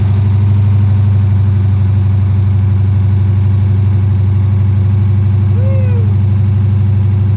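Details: 2010 Dodge Charger idling just after its first start following replacement of damaged heads, before coolant is added: a deep, steady idle with an even low pulse and no ticking or knocking, settling smoothly.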